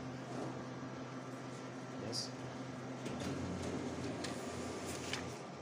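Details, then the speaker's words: Panasonic DP-8060 photocopier running with the back panel open. A steady low hum with a rough, uneven rubbing texture over it: a bad noise coming from the printing drum. "then I have found that this bag very bad noise will be generated from the printing drum okay"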